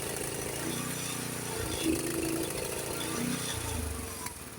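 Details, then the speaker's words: Honda HS724 snowblower engine run with choke plate about half closed, reproducing pre-adjustment rough running; uneven hunting, loping and sputtering instead of a steady beat, rough running from partly closed choke. "That's the way it was running beforehand, before I adjusted the choke, because the choke plate wasn't open all the way. It was closed about halfway. And that's why it was running so rough like it just was."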